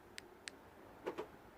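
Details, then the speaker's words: 2012 Ford Focus MK3 TDCi, remote lock pressed with all doors closed: two light ticks then two soft thuds as lock actuators move, but no door locks and the car stays unlocked; cause not yet found. "Okay, there's something happens on the doors, but the car still not locking. Okay, and as far as I'm aware, none of the doors do lock. Yeah, the car is completely unlocked."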